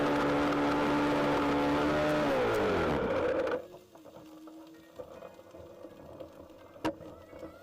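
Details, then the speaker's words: Kawasaki ZX6R track bike, first session of the morning at Pôle Mécanique d'Alès, barely warmed up: high steady engine scream suddenly sags and dies within a second as the piston pin breaks, start of second lap, first corner after the straight. "Et voilà, quoi, l'axe des pistons se barre au début du deuxième tour dans le premier virage après la ligne droite."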